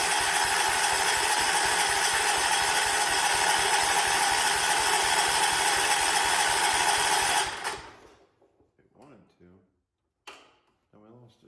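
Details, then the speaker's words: 1979 John Deere 214 tractor, sat for months, given a shot of fuel: fast even cranking about three strokes a second for seven seconds, briefly tries to go, then quits; owner also wonders about the plug. "it tried to go I heard it there might even be an issue with this plug"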